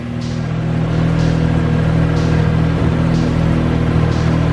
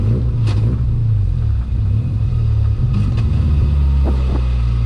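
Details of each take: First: How good does this thing run, man? No leaks. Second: 13B rotary in an E36 ute on a drive after much idling, engine overfuels and plugs possibly fouled: pulls up through the revs with a choppy stumble down low that smooths as speed climbs, a low-rpm misfire; won't idle properly.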